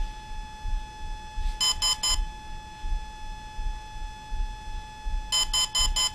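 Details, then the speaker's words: Volcano 30A brushless ESC for a 450 RC helicopter, programming menu: steady high tone with bursts of three then four quick beeps, four beeps marking the cutoff threshold item. "so i want to have the cut off threshold set to low okay and the cutoff threshold is four beeps"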